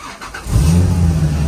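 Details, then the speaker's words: Supercharged Toyota Hilux LN106, first start after engine install: engine catches and settles into a deep, steady, even drone; freshly installed engine runs healthy. "Woo! Yes, baby, yeah. All right, Hilux fans, that's cool, but not the time or place to be revving it up."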